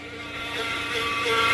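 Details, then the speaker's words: Car towed in with a transmission complaint, AC switched off; steady high-pitched hummingbird-like whine over the running engine, growing louder; automatic transmission whine, not from the AC. "Sound like a hummingbird. Ladies and gentlemen, that is a transmission whine."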